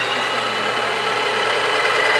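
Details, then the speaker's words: Breville Barista Pro built-in burr grinder running while the setting is lowered from 11 to 10: steady, even high whirr with no catching, knocking or labouring; normal grinder operation. "if you go down to 10 just make sure that your grinder is running"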